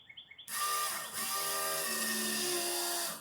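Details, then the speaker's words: 1989 Foxbody fuel system overhaul, pump jumped from a battery to check for leaks: steady electric whir with a few shifting tones for about three seconds, then cuts off; pump primes normally, though a leak is suspected at an injector O-ring. "Well, it sounds like it primed. I can hear it coming back."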